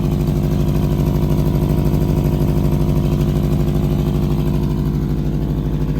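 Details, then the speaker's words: Subaru WRX with rebuilt engine at about 560 miles, idling: loud raspy puffing in time with idle from the front; owner suspects a leak at the very rusty headers, not confirmed. "but it's a nasty exhaust leak from here from the front cuz I think it's the headers"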